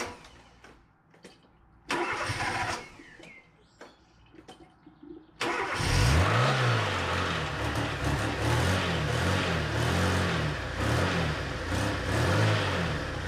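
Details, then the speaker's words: 1991 Fiat Panda 4x4 after replacing the stuck radiator cooling fan and refitting the thermostat, started after a long time: cranks, catches promptly, settles into a steady, even idle with no knocks or misses; normal start. "I am quite pleased with how it runs - yes it's quite ok you can keep it revved up for a while"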